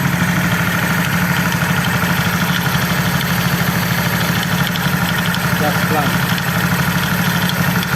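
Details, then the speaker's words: Honda CB150R LED at idle after the loose valve shim was fixed with a Sonic 150R shim: top end now quiet, but an uneven light klétek clatter low in the engine, about three per second, from the not-yet-repaired starter gear. "ya di bagian atasnya sudah halus ini tinggal betulkan di Start aja yang bunyi kletek-kletek di bawah"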